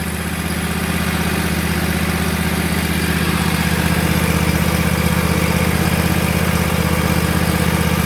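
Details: Bradley riding mower with a new belt tensioned to about an inch of play: a deep, even idle rumble with a steady beat and no slap, squeal or chatter. Normal idle.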